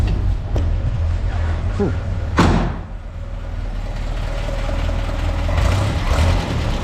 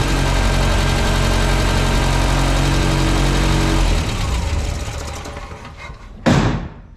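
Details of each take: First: 1967 Land Rover Series 2A just converted from a Solex to a Zenith carburettor, linkage not yet fully fitted. Low steady running broken by a few sharp irregular pops: backfiring, cause still unknown. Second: 1967 Land Rover Series 2A after swapping the Solex carburettor for a Zenith with a modified arm: steady, even idle with a smooth low beat, then shut off and winding down; runs fine.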